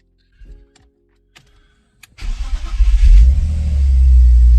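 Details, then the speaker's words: BMW M52 after installing new quality oil filter housing check valve, housing pre-filled with oil: a few clicks, short crank, catches into smooth even idle with no ticking; oil light off much quicker than with cheap valve; normal start. "That was quick, much quicker than last time with the cheap check valve. So no noise."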